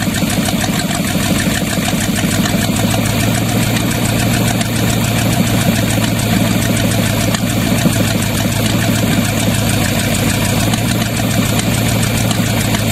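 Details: Used Chevy 350 small-block V8 on an engine stand, after carb cleaning: loud idle with uneven lumpy beat underneath; good oil pressure; pulling number three plug wire made no change, so that cylinder was suspected missing.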